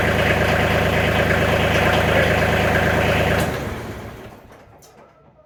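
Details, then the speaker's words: Diesel tractor with about 210 hours, after replacing the fuel shutoff solenoid (old one suspected of weak magnet, not opening fully, engine failing to start over half the time): steady, even clatter, smoother and more responsive; normal idle. "actually sounds like it's getting more fuel so I'm hoping that was the issue it seems like it's running smoother and more responsive on the throttle"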